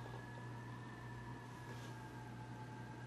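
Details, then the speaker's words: Dorm room at night: a thin, steady high whistle at constant pitch over a faint low hum, suspected to come from a window vent, similar to when the dorms are pressurized; persistent whistling. "I guess one of the vents of the window, something was making this god-awful whistling sound all night long."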